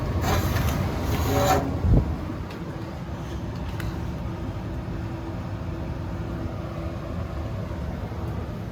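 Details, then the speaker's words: Central AC system with condenser not coming on: 24 volts at the outdoor unit, 12 volts at another point, and a short suspected in the low-voltage wiring; furnace blower gives a brief startup burst, then a steady low hum and airflow rush, running normally. "Let's go look at the furnace. And the furnace, as you can hear, is blowing."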